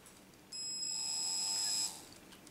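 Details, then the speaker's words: Motor and PWM speed control from an old cordless drill/screwdriver, trigger barely squeezed so the duty cycle is at minimum. The motor gives a thin high whine for about a second and a half at very low power. Normal low-duty PWM whine. "rupeaa inisemään ihan pikkuteholla kun painaa tuota liipasinta, eli se pulssisuhe on nyt sitten minimissä."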